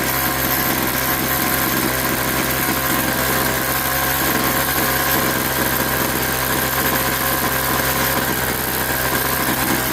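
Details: Craftsman 21cc Bushwacker two-stroke hedge trimmer, sitting nearly a year, blade not engaged: steady even buzzing idle holding without misses, surging or rattles; a few air bubbles in fuel. Normal two-stroke idle.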